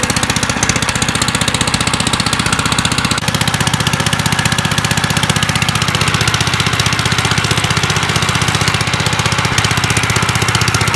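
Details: 1955 Gravely Model L single-cylinder, first start after sitting five years, points cleaned, mid throttle, in neutral, choke on: an even, far-too-loud, raw bark at about four beats a second because the exhaust ear is broken off the threads.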